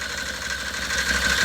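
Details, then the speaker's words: Can-Am Maverick 1000 engine idling, seat removed, with a rough chattering noise under steady hum, a bottom-end noise found on teardown. "But you can hear it making noise. It's making like a chatter noise."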